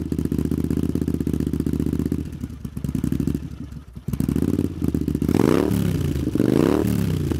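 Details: Honda CX500 cafe racer twin, finished project: fires and settles into a steady, even rumble, blips up and back down cleanly; runs sound, idle slightly uneven and revs need adjusting.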